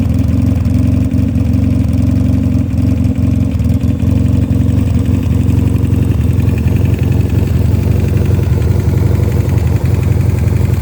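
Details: 1986 Honda CB450S (PC17), carbs with 140 main and 35 pilot jets, pod filters, airbox removed, wrapped headers, SC Project mufflers with dB killer, idling loudly with a repetitive knock over the low rumble; engine knocking noise.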